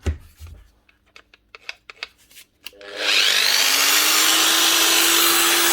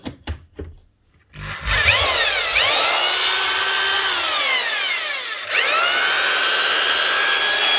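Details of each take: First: Old variable-speed 110 V angle grinder (Hitachi/Bosch box): a few handling clicks, then it spins up to a steady, fairly low whine at only about half speed; owner first suspected the speed controller, but the cause is a miswired plug. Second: 1992 Spit 321 SDS drill, about 30 years old, after fitting a replacement Bosch lead: handling knocks, then the motor spins up to a high whine, eases off and picks up again smoothly; the new lead was all it needed, it runs normally.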